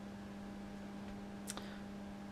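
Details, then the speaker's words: Line conditioner plugged into mains buzzing on its own, a steady even low transformer hum with one faint click, before the grounded vintage valve radio is plugged in; owner unsure whether it is meant to buzz. "Okay, I've plugged in the line conditioner now, and you can hear it's buzzing. It's got its own little buzz."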